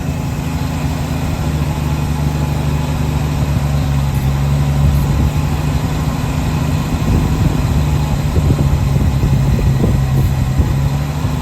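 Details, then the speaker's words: 1966 Chevrolet C10 shortbed farm truck, last licensed 1979, first start after long storage: the old six idles on its own with a low, steady, even rumble and no misses or stumbles. Normal idle. "sitting there idling on her own. That is awesome. That is super cool, this old relic. I can't believe it. After that long, this thing fired up like nothing."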